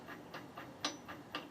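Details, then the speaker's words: Electric WR250E conversion, chain and guide off, motor run in reverse: quiet regular ticking pulses about four a second, surging and cutting; suspected cause of apparent chain binding, not yet confirmed. "it pulses back and forth that's interesting isn't it"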